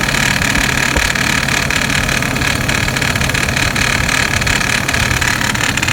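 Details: 2006 Hummer H3 at idle after replacing the serpentine belt: busy, uneven metallic rattle about three a second over a steady idle, something loose up front, cause unknown.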